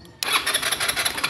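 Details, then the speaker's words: Rusi Passion scooter that won't start: electric start whirs steadily, engine spins but never fires; no spark, traced to a dead supply wire from the ignition switch. "lima ayaw talaga sa try naman natin sa kick start susi natin isa dalwa tatlo apat so wala talaga"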